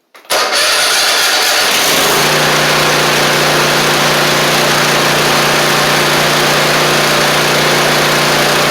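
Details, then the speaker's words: Troy-Bilt zero-turn mower, about two years old, Kohler 24 hp 7000 series, after fixing a poorly replaced carburetor and wrong gasket: catches after a short crank and settles to a steady, even idle with no misses. Normal start and idle. "Otherwise, you can hear it's running good. I get it out of the garage. Test it out here. Sounds good."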